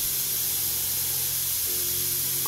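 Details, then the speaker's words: Airbrush with head cap deliberately loosened, air only, trigger not pulled for water: constant sharp hiss of escaping air, bubbles in the cup; air leak around the head cap. "तो अगर आपको अपने airbrush cup में बुलबुले आ रहे हैं तो यह एक और गप्पी संकेत है कि आपके पास सामान्य रूप से हेड कैप के आसपास एक हवा का रिसाव है।"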